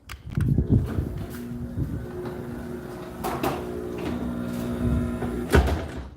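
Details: Newly installed garage door opener run while setting the up limit. A smooth, steady motor drone with a few thumps of the door moving, then it winds down and stops; normal operation.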